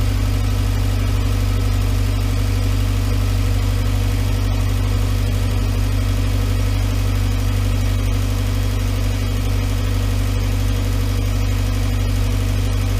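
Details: 2011 VW Voyage EA111 engine at idle after water pump, timing belt and tensioner replacement: smooth, even low idle with a steady deep hum and no knocks, ticks or whine; engine sounds healthy.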